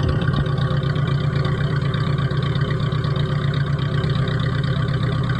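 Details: Freshly rebuilt T120SS fuel-injected engine, overhauled for fouling spark plugs, high fuel use, weak power and white exhaust smoke; test idle is a steady, even low rumble with no misses, knocks or ticks.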